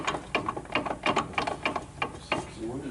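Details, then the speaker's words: Chevy Silverado 2500HD snow plow truck: sharp metallic clicks and clunks, about three a second, as the driveshaft is rocked by hand, from a worn universal joint. "also he got a bad universal joint here right here that's not good so that's gonna have to be fixed"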